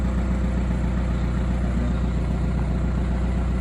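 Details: VW Caddy 1.9 TDI diesel, cold, after fitting a sensor: steady starter churn about 2.5 beats a second going on without catching; hard starting, owner suspects the sensor was not seated properly.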